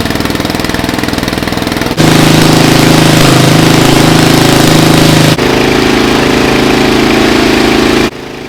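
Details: 2000 Murray LT1000 lowered riding mower single-cylinder, new exhaust, jump-started with starting fluid: fires then holds fast steady buzzy beat instead of slow idle; throttle return holding high RPM, idle screw didn't adjust it.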